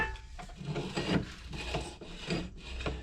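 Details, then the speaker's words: Honda GX200 6.5 hp engine stored outside for at least 15 years, turned over by hand before first start: slow, uneven rasping strokes with a dry gritty scrape. It sounds rusty inside; cause not confirmed. "So can you feel that? Or can you hear that? Sorry. Just sounds nice and rusty."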